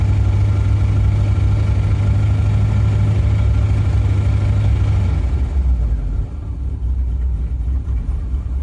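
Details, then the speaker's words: 1956 Chevy small block V8 with suspected damaged rod bearings after running out of oil, cold start after long sitting, warming up: deep loud idle with slightly uneven lumpy pulse; rough idle expected from sitting, cause unconfirmed. "Running a little rough, but that's definitely to be expected. It's been sitting for a hot minute."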